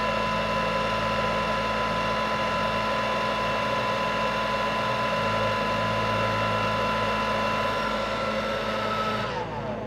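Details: Bosch Readyy Series 2 cordless vacuum, previously clicking and grinding, after its slipped brush-drive belt was put back on: a clean, steady motor whine at one pitch with no clicking or grinding, winding down smoothly. Normal running.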